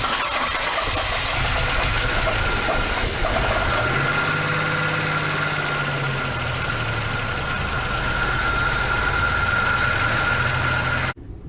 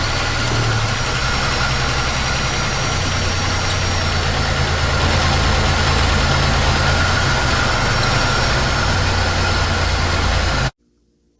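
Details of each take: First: GM 3800 Series II engine, first start after a full overhaul and reinstall, oil pressure came up almost immediately: catches and settles into a steady, even idle with no knocks or ticks; normal start and idle. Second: GM 3800 Series II engine just overhauled and installed, after replacing a sensor: lumpy, loping idle; still runs badly, scanner showed cylinder 6 misfiring, traced to a non-working injector, later replaced.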